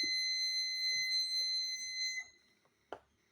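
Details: Cheap aftermarket parking sensor being tested: a steady high-pitched warning tone holds about two seconds, then cuts off cleanly. Fairly accurate but noisy; it is alerting to an object.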